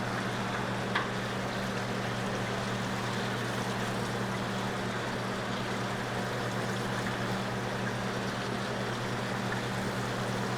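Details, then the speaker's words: Zeco fryer oil filtration machine pumping oil and crumbs out of a fryer: low steady motor hum under gurgling, sucking liquid, no knocking or straining; normal pump operation. "We're going to go ahead and start pumping all those crumbs out. Want to make sure we get the sides of the fryer Make sure we get all that debris."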